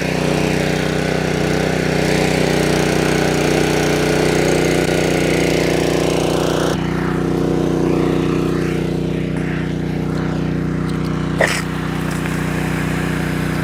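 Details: Honda engine-driven DIY fire water pump, hot day, hose kinked for back pressure: the small single-cylinder engine runs at a steady, even fast throb under pump load, no misses or knocks; healthy.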